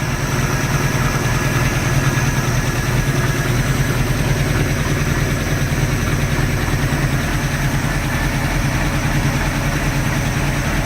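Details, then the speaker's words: 1986 Sea Ray boat marine petrol engine idling with a deep, uneven lope; earlier noise fixed, rough idle remains; compression check planned as first step. "so now what I'm dealing with is the high is the rough idle and I was going through my manual and man there's a probably 20 things that it lives for a rough idle"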